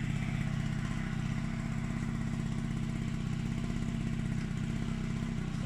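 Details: Gilera Stalker two-stroke, engine rebuilt, first start after wiring harness fitted, weak old 12 V battery, stock-type but somewhat derestricted exhaust, 65 main jet; low uneven burbly putter at about four beats a second; owner thinks jet too big, suspects rich running.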